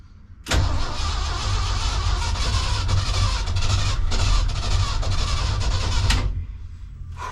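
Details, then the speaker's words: 1976 crew cab truck in neutral, drenched with starting fluid: steady starter cranking about four turns a second for six seconds with no firing; cranks but won't start, owner suspects bad fuel pump, unconfirmed. "Not looking good, guys. All right, let me see if I can pour some fuel in the carb, see if that works. Could be a bad fuel pump, I don't know."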